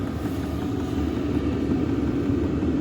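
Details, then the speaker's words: Lavaner 5kW diesel air heater newly fitted in a static caravan, first start-up: the fuel pump powers up, then a steady, even roar with a low hum and no knocks or surges; running normally. "fuel pump's working that's a good sign we go going time with the fuel pump so I can hear it powering up now fuel is definitely going in"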